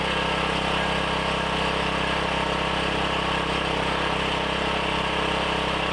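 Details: Briggs & Stratton 7,350 W surge / 5,250 W generator after replacement carb, custom air filter and tune-up, throttle roughly set with no load: steady, even low single-cylinder drone holding speed without hunting; normal running.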